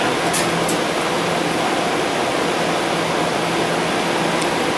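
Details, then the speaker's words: Kenmore 12,000 BTU window AC with metal blades, motor needing oil, just started, head pressure building: smooth even air rush over a steady low hum, no rattles or squeals; blowing cooler with a strong blower. "it's blowing cooler already. The blower on it got like a couple blades, so it's gonna really push."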